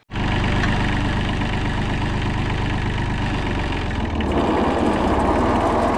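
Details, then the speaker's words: 40-year-old Kubota F2000 front-mount mower, three-cylinder diesel, after restoration (fluids, filters, blades replaced), mowing test: catches at once, settles into even clattery idle, then picks up speed smoothly with no misses. Normal diesel running. "The retro vibe, combined with the awesome clattery 3-cylinder diesel sound, puts a smile on my face every single time I fire it up to mow."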